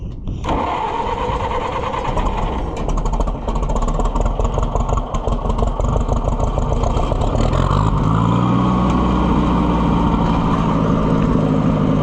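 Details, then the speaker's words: Loader tractor's old petrol engine running without choke: uneven, lumpy pulses near three a second, surging without settling; won't idle properly, owner suspects worn ignition points. "Now it's running without the choke. That sounds bizarre. Nope. It won't idle worth a crap."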